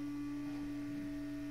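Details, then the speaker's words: Modded Prusa i3 3D printer at power-on: the print-head (hotend) fan runs with a loud, steady droning hum and calms down eventually. It is a noisy hotend fan. "now that loud noise is the fan on the head which is a bit noisy"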